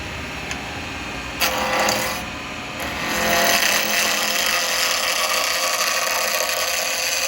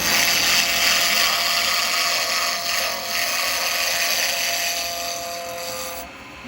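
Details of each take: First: Woodturning acrylic pen blank on a lathe at about 2500 rpm with a 12mm round carbide chisel: harsh rattling scrape as the tool hits the corners of the square blank each turn; interrupted cut until rounded. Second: Acrylic pen blank on a wood lathe cut with a 12mm round carbide chisel after roughing down from square: even steady cutting hiss over lathe hum with no knocking; blank running round, tool cutting cleanly.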